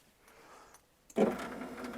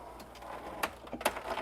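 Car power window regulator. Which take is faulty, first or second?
second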